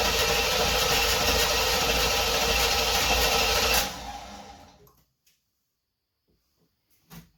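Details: 1976 Corvette Stingray unstarted 8 to 10 years, after new fuel lines, fuel filter, 20 litres fresh fuel, fresh oil and filter: starter whirs the engine with an even chug about four seconds, never catches; cranks, won't fire.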